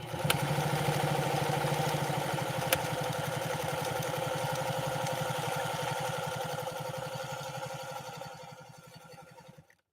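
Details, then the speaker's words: Restored 1955 West German Pfaff 230 sewing machine, final stitch-off: fast, even stitching rhythm of about three beats a second with a steady hum that winds down smoothly; it runs healthy. "Listen to this machine run. Listen to this machine do its dance."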